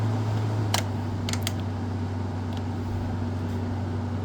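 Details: 2017 Frigidaire 5,000 BTU window air conditioner FFRA0511R1, fan only on high: a smooth, low, steady blower hum with a few light clicks; the fan runs normally.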